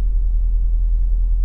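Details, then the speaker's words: BMW 740i V8 (300 hp) idling parked with the engine shaking: a deep, slightly uneven idle pulse from one injector over-fuelling, which clears at high revs; a small noise is also blamed on the tensioner. "Tem um bico que tá dando excesso."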